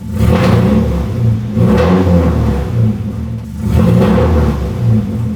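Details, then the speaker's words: Nissan 240SX, very loud exhaust, slow to warm up, smoky, PCV/catch can pressurized at idle, possibly old fuel: deep exhaust stumbles intermittently when throttle opens; intermittent misfire under throttle. "You can hear it sometimes when I give it gas. It'll misfire like that."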